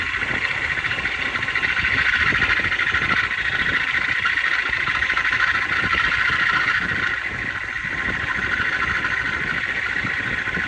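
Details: BMW M73 engine at a steady idle with a loud whirring hiss in the upper range that swells and eases slightly, like a pump. It comes and goes every few minutes as if a pump were starting and stopping. Source not pinned down.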